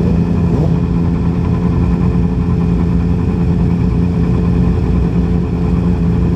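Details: 2010 Yamaha R6 four-cylinder: lumpy, uneven idle with a steady irregular stumble; misfire, running on three cylinders, later found to be bent valves in cylinder 4.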